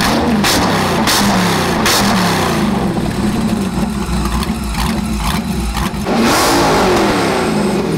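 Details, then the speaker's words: Chevy LS1 V8 (500 HP, ex-Camaro racecar) for a 1977 Hawaiian jetboat, first run after 10 years in storage, about 100°F out: loud revving with an uneven, lumpy, stumbling beat, idling on its own; rough running, needs tuning, cause not confirmed. "I've been waiting 10 years to hear that thing run again it's a little stumbly we got to do some tuning on it it's idling on its own at least"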